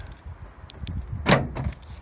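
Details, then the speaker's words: Nissan NP300 Navara D23 pickup with a newly installed Eagle4x4 tailgate central-locking kit, tested outdoors on a windy slope: light wind noise, then one solid thunk as the actuator unlocks the tailgate; working properly. "Hear that big thunk. Okay. Now the door's open."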